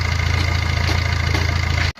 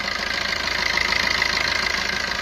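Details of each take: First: Maruti Ertiga after timing chain kit replacement, started before fitting water pump and tensioner; water pump had also failed. Low, even idle hum with no rattle or ticking before shutoff. Normal idle; earlier timing chain noise is gone. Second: Maruti Ertiga engine at idle: fast, light metallic rattle riding over the idle and following engine speed. Abnormal engine noise attributed to a timing chain issue.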